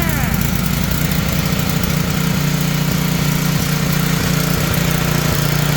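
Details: Tecumseh generator bought as non-running, running with the brown wire disconnected; oil was later topped up. Steady, even drone at constant speed throughout, no hunting or cutting out; running fine.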